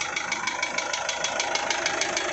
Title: Isuzu 4JH1 Engine Knocking Sound